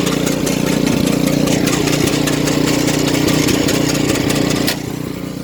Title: Weird noise snow blower